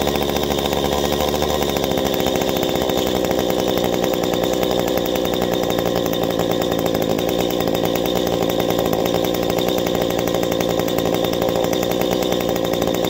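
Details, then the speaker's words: Two-stroke engine (saw) at full throttle during high-side carburetor needle adjustment: after a brief dip it climbs to a high, clean, steady scream and holds evenly, meaning the mixture is set to the sweet spot. "okay now once you make your adjustment you hear that sweet spot i revved up we kept her up there"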